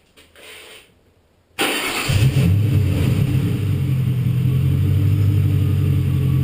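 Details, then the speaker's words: Car just after TPS sensor replacement, throttle stop reading 20.4 on the scan tool: starts and settles into a fast, steady idle well above normal; the throttle stop screw is set too far open. "It sounds good. Doesn't sound bad. Doesn't sound like it's way over red. That's too high."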